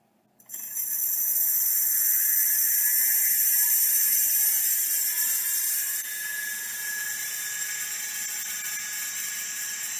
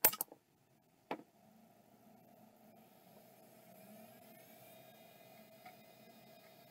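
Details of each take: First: Opened Miniscribe hard drive, after adjusting track zero and moving the heads to the inside track; still stiff. A harsh high hissing scrape over a thin spin-up whine, with seek ticks about four a second, from a massive head crash; it spins and seeks but may not initialize. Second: Third of five Western Digital Caviar drives on test: a click, then a faint rising whir settling into a steady spin with no scraping or repeated clicking; spins up normally and seems good.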